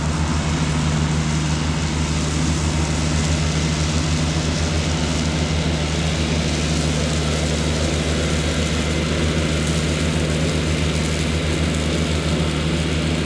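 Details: Cushman front-deck diesel mower, bought as scrap with a supposedly bad hydraulic pump, tires freshly aired up, mowing grass: steady, even diesel drone with constant low beat, no knocks or misses; normal running under load.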